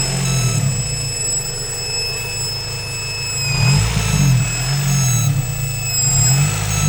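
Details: High-pitched whine from a Honda B-series B18C6 petrol engine: a thin, steady whine riding over the low idle rumble.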